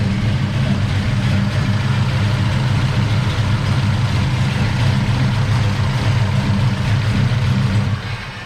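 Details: Big block Chevy Bel Air with Holley Sniper fuel injection at warm-up idle after the fuel lines were fixed, with the IAC slowly cooking down; the Sniper had been cleaned of black soot for surging. A smooth, even low V8 rumble with no hunting or surging.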